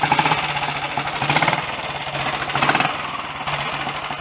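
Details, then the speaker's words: Early Redditch Royal Enfield 350 Bullet single idling after the blocked Concentric pilot jet was cleaned, which had caused spitting, popping and kickback. Slow beat with light, rapid tappety clatter: pushrods likely need adjusting, otherwise running nicely. "Could probably do with the push rods adjusting. There's a bit of a clatter there. But it's running nicely now."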